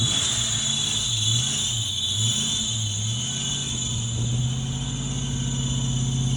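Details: 1992 Ford Mustang GT Foxbody 5.0 V8, first cold start after sitting on old fuel; uneven hunting idle with steady high-pitched squeal, belt slipping on a dragging pump pulley, owner thinks it may just be flattening the belt.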